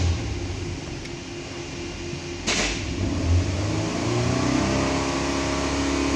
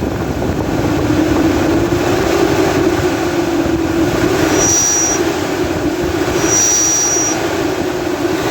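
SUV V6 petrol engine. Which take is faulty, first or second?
second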